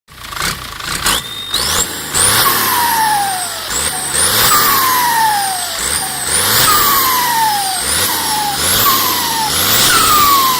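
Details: AR42 turbocharger fitted to a six-wheel farm tractor, throttle blips: each blip brings a high whistle that climbs with revs and falls away on lift-off, a strong, healthy turbo spool.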